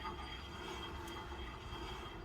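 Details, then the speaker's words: Porsche 924 2.0, right front wheel after wheel bearing adjustment, turned by hand: steady scraping hiss with faint ringing; discs rubbing from surface rust since the car hasn't been driven, no issue. "as you can hear the discs are still grinded so because it hasn't driven for a while but um now that means no issues"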